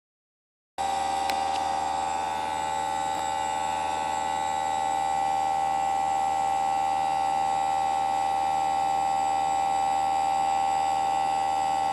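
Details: Newly installed Greenspeed heat pump running with a steady, loud tonal hum and a piercing whine near 800 Hz; it is noisy, not quiet.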